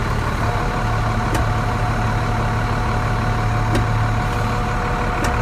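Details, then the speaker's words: Truck, possibly an 8000, diesel idling with clutch out: steady whirring whine resembling a throwout bearing, disappears when clutch pushed in; actually PTO gear whine, fixed by shimming the PTO. "so it sounds like a pressure plate uh or a throwout varing is going out when you push it in it goes away like that but it's not that it's the PTO"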